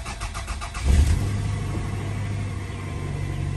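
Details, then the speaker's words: 1997 Toyota Camry, 251,532 miles, in park, new battery, started after sitting about a week with old gas still in the tank: brief cranking under a second, then it catches quickly into a steady, even idle; a good start. "wow pretty good start after sitting here for about a week"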